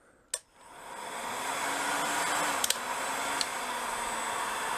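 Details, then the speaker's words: Adendorff Machinery Mart budget heat gun on setting 2 (rated 450 degrees): a steady airy rush over a soft, slightly sagging hum as the motor audibly spins slower. This is normal running at this lower fan setting. "you can hear the motor actually spinning slower."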